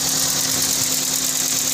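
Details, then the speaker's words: Toyota Vios petrol engine that would not start after the fan belt broke and struck the crank area, now repaired: it starts and idles smoothly and evenly with a steady low hum and a strong hiss. Normal idle. "Okay umandar mga idol ayos Woo 8:00 inabot Tay 8:00 Idol kasi success yung solve yung problem na serbis natin"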